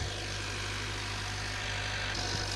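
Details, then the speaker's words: Rebuilt 2025 Honda Accord turbo four after fixing a turbo boost leak: quiet, steady idle with faint smooth whir, no hiss or whistle of a leak; normal idle. "Oh, wow. Man, that sounds quiet. Listen to this, guys. Guys, I'm not hearing anything that sounds like a leak."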